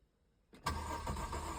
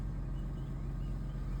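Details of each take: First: 2006 Mercedes SLK280 with a new battery and new crank sensor fitted; the brake pump did not come on at key-on. The starter cranks steadily for about six seconds and it never catches. Crank no start; owner suspects a water-damaged SAM fuse box, later fixed by ECU cleaning. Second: 2006 Mercedes SLK280 after crank-no-start fixed by opening and cleaning the ECU; deep, steady, even rumble at idle with no misses, knocks or rattles, buttery smooth and healthy.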